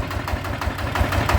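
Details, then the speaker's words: Bluebird small engine after repair: short burst of steady, even low firing pulses, no knocking or rattle; runs smoothly and sounds healthy. "ก็ถือว่าโอเคใช้ได้นะครับสู้ดีนะครับ"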